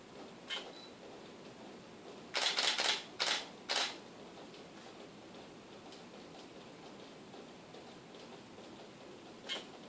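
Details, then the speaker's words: Canon 70-200mm L IS USM lens on a camera: faint soft whirr as the image stabilizer engages on focusing, then a burst of sequential shutter and mirror clicks and a last click; normal stabilizer mechanism noise. "In the beginning when I focus on, it will make the IS noise... Because the lens will move up inside a piece in the system to stabilize the image."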